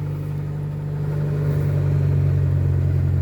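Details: Mk1 Ford Escort with carburettor, first start after sitting over six months, slow fuel pump: low throbby engine note that wavers and sags instead of settling; rough idle.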